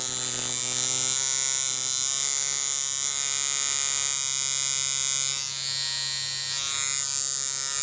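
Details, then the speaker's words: Chinese coil tattoo machine, contact screw brought closest to the back screw for lining, steady even high-pitched buzz with clean stable tone; correctly tuned for lines, exact half-overlap figure eight. "एक मशीन लाइनों के लिए पूरी तरह से ध्वनि। मुझे उम्मीद है कि आप यहां 8 देख सकते हैं जो समझते हैं कि यहां आधा है, एक और एक के बीच प्रवेश कर रहा है, सटीक आधा।"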